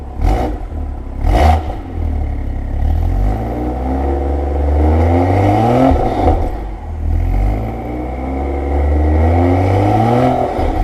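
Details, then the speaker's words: BMW M2 LCI with iPe exhaust on factory valve actuators, cold start after removing the washers from each actuator spring to fix the cold-start rattle: two sharp bursts, then a deep, even cold idle with no exhaust rattle. "What do you think? Is that fixed? Good. That would have definitely rattled being this cold, wouldn't it, before? Yes, 100%."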